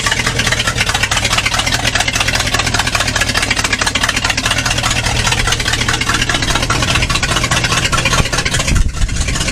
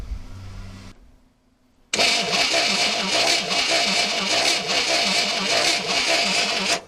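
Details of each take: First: 1964 Chevrolet Impala 4-door hardtop, sat about 40 years (last registered 1982), now running: steady, even idle with a smooth low rumble, no tapping or knocking; the earlier noise is gone and it sounds healthy. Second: 1964 Chevrolet Impala 4-door hardtop, sitting unregistered since about 1982 and not run in 40+ years: steady starter cranking at about two and a half turns a second, never catches; spark checked at coil lead to valve cover shows no spark.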